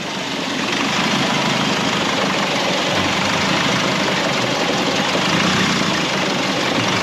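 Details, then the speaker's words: 2005 Nissan X-Trail with turbo whine, just restarted after priming oil pressure, ticks over with a steady clatter and a slightly uneven, lumpy beat, as it did on arrival; rough idle, owner suspects a boost leak. "it has sort of settled itself out but it is running a little bit lumpy but it was when it first come here so we're not really worried about that"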